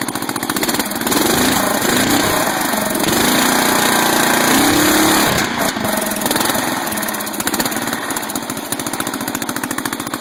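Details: 12.5 hp flathead mower engine ("biohazard"), sat about three weeks, loping unevenly, revs sagging and hunting as throttle drops, stumbles and wants to die; backfiring through the carb. Owner suspects carburetor; rust and debris found in bowl, to be cleaned.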